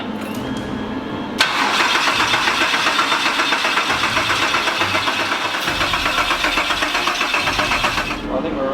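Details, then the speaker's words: Freshly built 3800 L27 V6 (VR Commodore, turbo build) cranked with ECU fuse pulled, no fuel or spark, to build oil pressure: steady even cranking about four turns a second, no knocks or grinding; normal. "so we're just going to do that crank it round hopefully get oil pressure and then we'll plug it back in then we should be right I think no weird noises"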